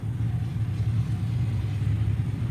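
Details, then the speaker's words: 1992 Eagle Talon TSi AWD electric fuel pump running after an inline fuel check valve was fitted: steady low motor hum at a rock-steady 40 psi, with fuel heard bypassing the check valve and no leaks; pump running normally. "I'm at like a pretty rock steady 40 psi and if you listen real close you can hear the fuel bypassing the check valve almost sounds like a motor run"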